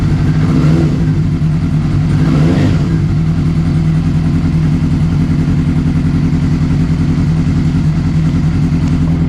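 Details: 2007 Honda CBR600RR at first start after an oil, oil filter and air filter change, in neutral. The inline-four buzzes evenly through quick revs, then runs steadily with no clatter; mechanically sound, with only electrical issues outstanding.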